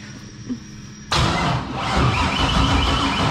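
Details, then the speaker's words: Nissan 240 LS-swapped drift car: starter spins engine steadily for a couple of seconds but it never fires; no spark found, bad chassis/engine ground suspected. "See if we got spark. You got a spark plug running around? Yep. Seems like you do not have spark."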